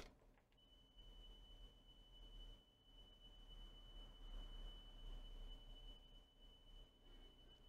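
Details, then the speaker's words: Coomber 393 language-teaching cassette deck playing 3 kHz test tape, head not properly aligned: steady pure high tone over faint hiss, slightly flat; tape running a little slow, alignment possibly contributing. "kilohertz so it's running a little bit slow mind you having um got a head that is not fully properly aligned that could have an effect"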